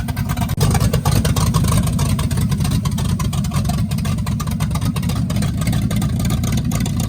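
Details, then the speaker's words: 1965 Chevy Impala, non-stock 396 Turbo Jet big block V8 with fresh camshaft, open headers, in neutral: loud choppy loping idle, pulls clean on revs, good oil pressure; normal lumpy idle. "it's idling and everything and it's got some decent chop to it."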